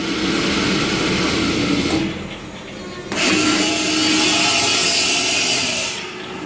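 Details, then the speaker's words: Vacuum pump running normally, steady hissing whir with no knocking or grinding. "that's what it's supposed to sound like"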